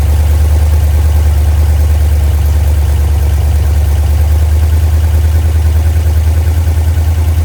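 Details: Freshly rebuilt 1990 Mopar 318 V8 (D150 truck) with new Rock Auto parts, mild Comp custom cam, Air-Gap intake, first run, at about 175° operating temperature, timing 15° at idle, 33° total: deep even burble, no knocks, ticks or misses; normal idle.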